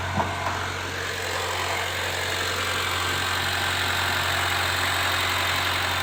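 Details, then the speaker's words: Honda Brio engine at idle, checked for a reported vibrating humming noise: steady even hum with no knocks, ticks or stumbles; engine healthy, vibration traced to worn wheel/suspension parts. "Mesinnya aman tidak ada yang aneh ya."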